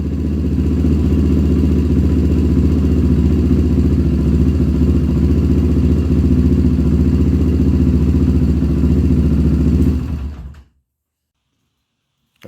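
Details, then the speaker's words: 1997 Honda TRX300EX single-cylinder after cam chain replacement, rebuilt motor with big bore kit and hot cam, start-up in rain: even thumping steady idle, no ticking or chain rattle before shutoff; engine healthy, back up and running. "okay guys there you have it she is alive once again back up and running"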